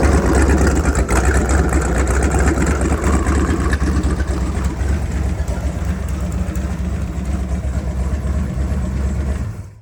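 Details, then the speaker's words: Seeker Craft boat inboard engine idling steadily after a Berkeley jet pump install, run briefly without water (pump needs none). A smooth, even low rumble with no knocks, rattles or vibration until shut-off: a successful install. "Definitely a success. No noise and no vibration."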